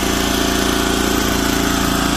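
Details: Old Japanese Komatsu PC01 mini excavator, Honda engine, 1,116 hours, weak battery: even, steady putter at idle with no knocks or misses; starts easily and idles smoothly, sounding healthy.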